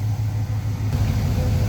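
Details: Hot carbureted engine after mix screws were set at highest vacuum, then an eighth to a quarter turn richer: a deep, smooth idle with an even low rumble and no hunting. AFR is about 13.5 and rock steady, a normal idle.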